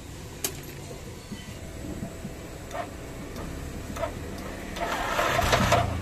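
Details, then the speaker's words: Yamaha NMAX scooter run low on engine oil idles weakly with a harsh, gravelly top-end clatter that worsens on throttle, with little power; damaged intake valve rocker arm bearing. "suaranya seperti ini ya teman-teman Kasar banget dan di gas juga kurang tenaga ya teman-teman"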